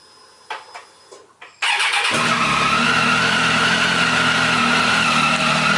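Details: 2015 Triumph Tiger 800 XCX just fitted with a Fuel Exhausts slip-on pipe: a few clicks, then the engine catches and settles into a steady, deep, even exhaust note with no knock or rattle; normal start.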